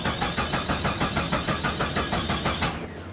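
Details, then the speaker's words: 1998 Jeep Cherokee XJ race car, towed in after dying on a wet track: slow, labored cranking at about three beats per second that never catches; team suspects a dying battery, alternator, or a loose battery terminal, not confirmed. "Sounds like the battery's dying. Alternator. Alternator? So we're having trouble keeping it running. We think the battery terminal might be loose."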